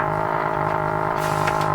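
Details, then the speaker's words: Ford Zenith 6MF780 6-volt tube car radio after full restoration: worked about 20 seconds, then a low, rapid putt-putt pulsing under the audio; motorboating, cause not yet known. "It turned into something else. It turned into a motor boater."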